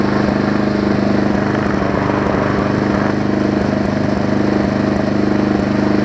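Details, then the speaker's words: Briggs & Stratton Classic engine swapped onto a Hyper Tough deck with a Weed Eater 22-inch mower's gas tank; single-cylinder engine chugs at a steady even beat, no misfires or rattles, runs better and smoother than the old one; normal running. "it runs better than the old"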